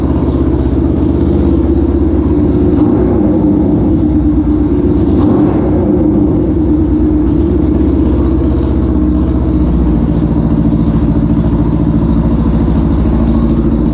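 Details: 1973 Honda CL350 twin, restored from non-running basket case, kick-started: even steady twin beat with smooth exhaust note, no knocks or misses, holding idle evenly; runs normally.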